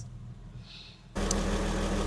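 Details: Porsche 986 Boxster S with 48,000 miles, stored in a barn for about 3.5 years, first start after fuel pump work: after priming it catches and settles straight into a steady, even idle that sounds healthy.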